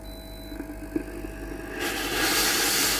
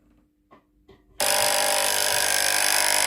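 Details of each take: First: Philips GC7703 steam iron after water pump replacement (previously heated but gave no steam), self-clean cycle at max heat: faint pump hum and small clicks, then loud steady steam hiss; pump working normally. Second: Philips GC7703 steam iron (no steam, powers on and heats normally): soft clicks, then a loud, harsh, steady electric buzz as the water pump, powered directly from an external cord, runs dry with no water output; pump is broken.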